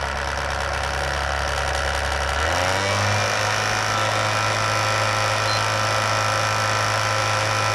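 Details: Sony PS3 console found at an e-waste center, on power-up: loud steady jet-like roar climbing in pitch as the cooling fan spins up, far too loud; console described as having nasty problems; abnormal loud fan noise.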